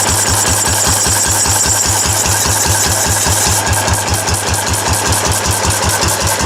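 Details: Restored four-horsepower Cushman binder engine with wide flywheel and original paint and tank, test run after restoration, started stone cold; crisp regular chuffing about two and a half beats per second, even and unbroken, running healthily.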